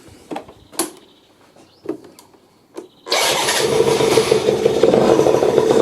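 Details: Benzer GT 50 two-stroke scooter that sat 4 years, first start after new T4-screwed valve and priming fuel: a few clicks then catches into rough, slightly uneven sluggish idle; still needs adjusting.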